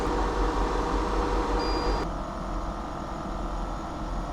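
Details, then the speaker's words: EcoFlow WAVE 3 portable air conditioner cooling a kei van at 16°C setting, outside 26.9°C, drawing about 50 W: steady fan rush and low hum; a high whine drops out midway, then it runs smooth at 61 dB; normal running. "少し下がって61デシベルでした。自分だったらこのぐらいの音量は眠れます。"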